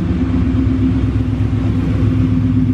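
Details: 1999 Mustang GT with Mark VIII/Cobra swap, just started and checked at the drag strip before 1/4-mile runs: steady, even low V8 idle with a smooth regular pulse and no knocks or ticks; healthy normal idle.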